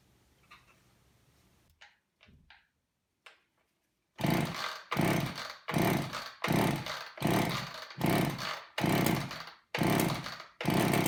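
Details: Long-stored old Craftsman two-stroke chainsaw with a gunked carburetor, started on fuel poured in by hand; good compression and spark; repeated surging roars about once a second, won't settle to idle or keep running; carburetor needs cleaning.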